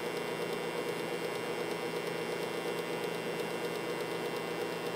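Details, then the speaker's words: Modified, overdriven variac on home-made ballasted power strip with heater ballast to avoid burnout; loud steady gritty buzz of core driven into saturation while output voltage begins rising from 0.01 V as it is cranked, topping out about 204–206 V. "the uh the angry hum that this thing puts out and this is why it needs the ballast"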